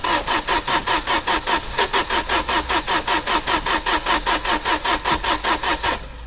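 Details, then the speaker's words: Opel Omega A GLS 2.4i CIH estate parked since 2003, spark and fuel present, fresh battery: steady even starter chugging about two and a half compressions a second, no firing; crank no start, old stale petrol suspected. "I wonder if you just dump some fresh petrol in it, which might make it more ignitable."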